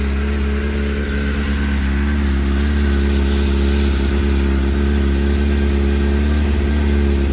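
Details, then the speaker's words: Suzuki Bandit 600 four-cylinder idling around 2,000 rpm: steady drone but beat stumbles as one cylinder drops out; owner suspects fueling problem, unconfirmed; misfire. "here comes a mire that's what makes you think it's a fueling problem"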